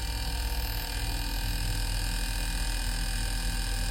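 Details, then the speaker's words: Onida/Lloyd/Whirlpool inverter AC after PCB repair: steady even low hum, smooth drone with no knocks or rattles; inverter compressor and outdoor fan motor running normally. "यह हमारी outdoor motor है। और आपको compressor की आवाज जरूर सुनाई दे रही होगी।"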